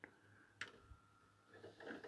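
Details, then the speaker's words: 1989 Philips CD480 CD player whose tray won't open: a thin steady motor whir with scattered clicks while the tray labours before opening. The belt is suspected perished and appears to be driving but slipping. "is the door not opening uh I think it's trying I'd suggest the belts probably perished or broken"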